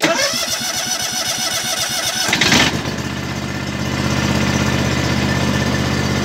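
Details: Wolf Garten Expert 92.160 H garden tractor, starting after mower deck lever raised (safety interlock prevents start with deck engaged): quick even cranking about two seconds, then catches and settles to steady idle; normal start.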